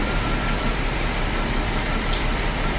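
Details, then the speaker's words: 1998 Mercedes S600 V12 coupe (C140) at idle: lumpy, uneven, low choppy beat instead of smooth V12 hum, feels like running on few cylinders; one bank not firing, blown spark fuse found. "It basically feels like it's running on just a few cylinders."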